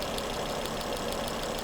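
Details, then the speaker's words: 2011 Volvo C70 with intermittent hesitation, no codes: cylinder 5 coil spark test on running engine, crisp evenly spaced snaps jumping about an inch gap, less than new coil but healthy; coil to be replaced anyway. "Look at that gap, that's about an inch. Just about an inch. Still not as much as the new coil, but there is a lot of variations between these coils in their ability to jump a significant gap. That's actually pretty healthy."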